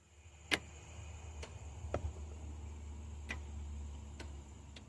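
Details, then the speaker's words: 2002 GMC Sierra line lock install: a few sharp separate clicks over a low steady hum as the newly added relay energizes from the switch signal line; the relay was added because a suspected voltage drop meant the switches couldn't hold the line lock. "Yep, I hear it clicking."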